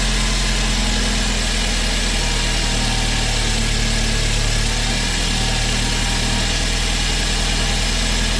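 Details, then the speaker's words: BMW 328i with an engine seized when bought, now fully rebuilt with new internals, first start before final assembly: deep, smooth, even idle with a steady low rumble and no knocks, ticks or misses; healthy rebuilt engine. "Oh my god that runs so good. Wow, that's so cool."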